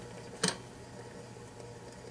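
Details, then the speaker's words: Restored 1947 Philco 47-1230 record changer on automatic with the motor turning. A single light click over a faint motor hum is the reject pawl engaging, which trips only at the 78's lead-out groove. Normal cycle. "comes over here and you can hear that that little reject Paul is engaging it won't do anything until you get to the end of the record"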